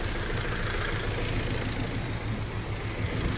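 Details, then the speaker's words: VW Golf R with intermittent cylinder 2 misfire and stored fault code, spark plugs swapped between cylinders during oscilloscope ignition diagnosis: idling petrol engine with uneven, stumbling beat, misfire at idle. "So I would say that's definitely a misfire at the moment."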